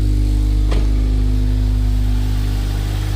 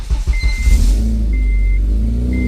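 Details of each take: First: 2006 Honda Civic Si K20Z3 first start after installing a Mercracing TVS-1900 supercharger and loading a tune; smooth low idle, even firing beat, faint steady belt note, no knocks or misses: normal idle. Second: 2006 Honda Civic Si K20Z3, fresh headers fitted during supercharger install, not yet boosted: engine revs with loud raspy puffing from underneath, a large exhaust leak at the header; adjusting helped slightly, may need welding.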